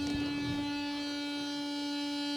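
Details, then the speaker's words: BMW E31 840Ci rear-boot washer pump after replacing the seized pump and the blown fuse: steady electric buzz and even hum as it pumps fluid to the front tank, working normally. "replace the pump found that fuse was broken and now everything works you can hear the pump buzzing so now it's pumping fluid into front tank"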